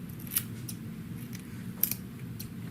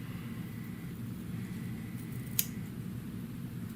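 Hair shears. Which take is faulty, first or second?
second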